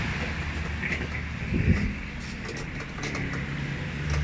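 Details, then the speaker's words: Panasonic automatic washing machine that is noisy underneath and drains water by itself, intermittent fault: a steady deep rumbling drone from the underside during the wash with a louder surge midway, confirming the technician's suspicion; part to be replaced. "So yun Yung maingay na narinig nila so tama yung hinala ko kanina yun ng may problem Alam ko"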